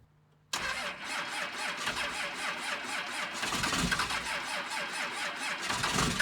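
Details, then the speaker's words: 2nd-gen Cummins diesel truck, unstarted for a few days, at -9°F on its second start attempt: it catches and settles into a steady, slightly rough cold idle clatter. This is a normal cold start, waiting for the thermostat to open. "So let's see if it starts. All right, round 2 should fire."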